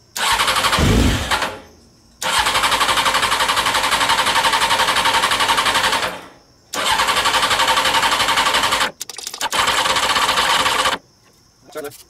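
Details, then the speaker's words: CBR600 reverse trike, fuel line just reconnected: repeated starter bursts with even fast compression chuffing, never catching; carburetor float bowl drain plugs left open and leaking, so no fuel in bowls; cranks but won't start. "uh oh wow the carburetors are pissing off the bottom so not only did i forget to uh put the put the fuel line back on the carburetors i forgot to close the floatable drain plugs as well"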